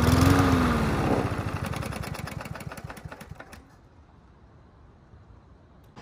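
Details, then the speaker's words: Yard Machines MTD push mower running with air box and filter removed; ragged uneven sputtering firing as it winds down and dies; owner suspected fuel starvation, actual cause loose spark plug wire giving intermittent spark. "so it started right up on the first pull which blows my mind but it has some sort of sputter to it"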